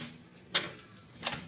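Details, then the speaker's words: Old carbureted Honda Revo with a new ignition coil, the black/red-striped lead held to the engine body while the engine is kicked: sharp, irregular snapping sparks show a good spark. "nah tidak kelihatan teman-teman ya tapi suara percikannya bisa kedengaran"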